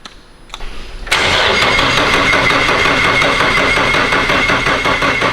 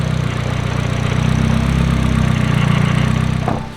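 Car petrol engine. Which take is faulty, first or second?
first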